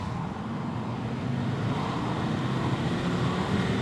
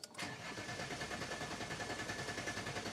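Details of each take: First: Alfa Romeo 159: wide-open throttle from about 20 mph, engine note climbing smoothly, no flat spots; normal acceleration, owner believes fixed. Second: Diesel after fuel filter change, pump heard refilling the large filter, car previously in limp mode: brief click then starter churning about three beats a second, engine slow to catch before finally starting.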